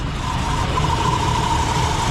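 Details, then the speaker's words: Ford Country Squire just started after sitting: steady run with a thin chirpy squeal near one pitch riding on top, belts slipping; a little chug and steam follow. "What is that sound?"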